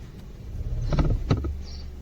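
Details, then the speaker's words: Mahindra KUV100, engine started: a few dull, irregular knocks from under the dash below the handbrake, inside the HVAC box; evaporator or heater core assembly suspected. "यस्तो आवाज आइरहेछ, सुन्नुभयो नि। यस्तो कटाटट आवाज आइरहेछ। यसै हाम्रो प्रब्लम एन्ड सिम्टम चाहिँ यस्तो खालको छ। यो हाम्रो HVAC एसेम्ब्ली भित्रबाट आइरहेछ।"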